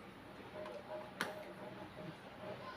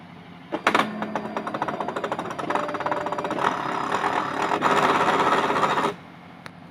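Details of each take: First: Fujitsu fi-7460 A3 duplex scanner after repair of a broken mechanism that clacked and stopped: quiet, even paper-feed whir with light ticks and one sharp click, now running normally after 200+ test scans. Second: Fujitsu fi-7460 A3 duplex scanner in multi-sheet mode: rapid uneven clacking for several seconds as broken drive gears slip, paper only inches forward and won't feed, J50 error; single-sheet mode works normally.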